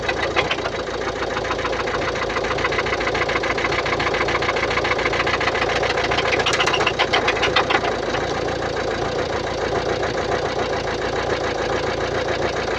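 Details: 2016 Mercedes-Benz Vito 639, OM622.951 1.6 L 114 hp diesel, 237,870 km: idling with a fast, even ticking riding on the diesel clatter, steady throughout; engine ticking at idle, suspected defective hydraulic lifters.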